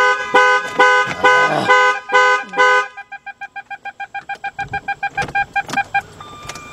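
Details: 2003 Jaguar S-Type that sat two years with water damage and won't start, after battery swapping: loud horn-like chirps in quick bursts, then a long run of fast even beeps; the anti-theft alarm is sounding, cause suspected, not confirmed.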